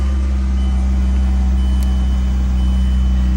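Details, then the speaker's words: Tiny automatic car with a key card at a salvage auction. It fired right up with good oil pressure and no warning lights. Deep, steady hum with an even beat and no ticks or knocks, a clean idle: normal idle. "let's see oh the keys in it okay fired right up"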